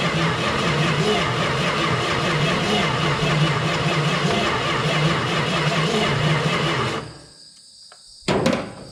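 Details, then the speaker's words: 1971 Plymouth Valiant Scamp, first start attempt after 16 years parked, sprayed with starting fluid: sluggish, even cranking for seven seconds with no firing, then the starter stops. Owner suspects no spark; plans to pull the plugs and lube the cylinders. "don't have a spark so kind of what i figured it does crank over all right it's kind of slow"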